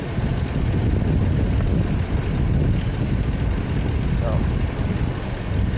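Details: Ford after repair, with the faulty brake booster vacuum hose section replaced by a clamped copper line: smooth, steady low idle with no hiss or whistle and no stumbling.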